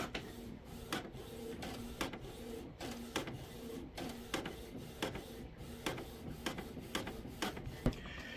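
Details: Canon TS3322 printer after fixing a P10 error code and fitting new paper and ink cartridges: even carriage passes with sharp ticks about every 0.7 seconds and a light whir; printing normally again.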